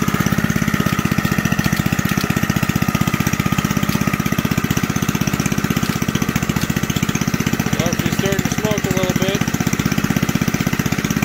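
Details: Old junkyard Briggs engine from reel mower, cold start on choke, bench-mounted: fast steady firing about four beats a second with light rattly clatter on top, owner says coming from the recoil starter.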